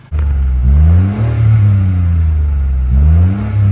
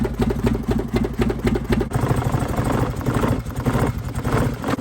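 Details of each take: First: Mitsubishi Mirage after burning fuel through the rail and injectors: engine blips cleanly from idle, rising and falling smoothly with no hesitation; revs freely, ready for a test run. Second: Mitsubishi Mirage after being flooded in a river crossing; idle lumps unevenly at about two beats a second with stumbles; running rough, fuel drawn from the line burns, water in the fuel suspected, fuel pump to be checked.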